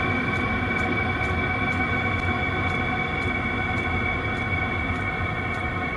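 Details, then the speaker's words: New 12V Voyocht diesel heater bench test, just after reaching set temperature and switching high to low: pump and blower slowed, even blower hum with light steady pump tick about every half second; normal low-power running. "all right you can hear the uh pump slowed down the blower slowed down that's still really hot damn it sounds like my mechanical valve that I have in my heart now"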